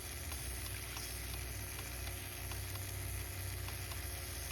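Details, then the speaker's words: VW GTI fuel injector removed and bench-tested on a pump: steady pump drone under a constant hissing spray. The injector stays open even when disconnected and keeps spraying when tapped; it is suspected to be clogged. "So I just tapped it, it's off, but it just won't close. I mean, it's not, it's still going. I think it's just clogged, you guys."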